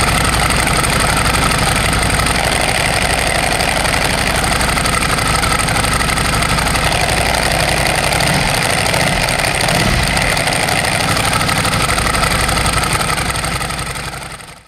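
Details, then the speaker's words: 17-year-old Ducati at idle: loud, rapid metallic clatter about four times a second over a lumpy twin idle, which disappears when the clutch lever is pulled; this is the normal, characteristic dry-clutch rattle, not a fault. "bakal muter nih suaranya keras banget suara motor rusak gitu padahal emang ciri khasnya dia kayak gitu"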